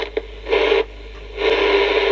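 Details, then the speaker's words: CB radio from a marine environment: hiss cutting in and out in scratchy bursts as the squelch is touched, then holding open; owner suspects a bad squelch control from marine exposure. "squir controls bad or something yeah I think it might be not surprising when it's been in a marine V environment"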